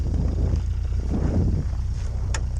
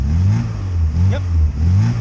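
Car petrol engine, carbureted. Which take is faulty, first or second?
first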